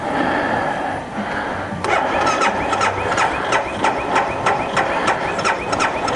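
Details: 2012 BMW Sertao G 650 GS single, about 3,150 miles, cold at 40.9°F, recurring starting issue (6th time): steady cranking, even compression pulses about three a second with squealing on top, never catches; cranking no-start, cause unconfirmed (decompressor lever suggested).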